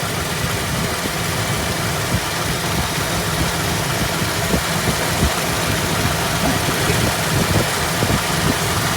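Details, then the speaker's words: 1973 AMC Hornet, warmed up, after vacuum line repairs, timing set dead on at 5° and idle adjusted, vacuum advance reconnected: steady, even, smooth low-rumble idle with no knocks or stumbles; normal idle. "we are idling beautifully and smoothly now our timing is dead on"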